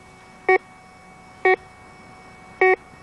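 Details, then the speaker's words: 1991 Garrett Ultra GTA metal detector, factory-preset sensitivity, search coil swung an inch or two above the ground; three short crisp beeps about a second apart over quiet hiss, the normal rising tone on detecting a metal target. "detection of any metal Target will cause an increase in sound and indicated on our"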